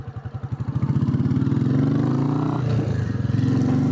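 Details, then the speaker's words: Royal Enfield single-cylinder after oil and filter change, tappets previously checked while chasing an idle issue: even thump picking up with throttle then settling, no tappet clatter; normal running. "This just needed oil and filter change. Because obviously I just checked the tappets when I was trying to work out what was going on with the idle. As you can hear, it's running fine."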